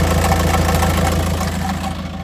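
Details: 2006 Jetta TDI (BRM) manual diesel at idle, clutch pressed for the first 10 seconds and then released. Once the clutch engages, a quick even clunking rattle rides on each firing beat.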